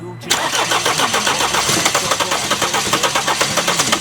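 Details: 2016 Mercedes-Benz CLS 250 with the 651 engine, arriving as a no-start: even cranking at about four beats a second, almost catching but never starting; cam timing thrown off by a stretched timing chain with a broken guide.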